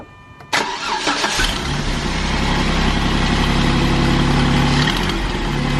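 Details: 2008 Jeep Wrangler Unlimited JK 3.8L cranks, starts and idles with a steady electrical whine and faint electrical burning smell; new belt tensioner pulley didn't help, owner suspects the failing alternator, which he replaced.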